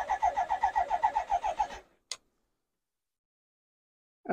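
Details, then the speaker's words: BMW K100 motorcycle with fresh fuel and a new fuel filter: steady cranking about four pulses a second, tries to fire but won't run. Owner suspects fuel delivery and plans to check fuel pressure, the regulator and the injectors. "also it now has been filled up with fresh Fuel and does turn over and tries to start as you can hear it tries to start a little bit there"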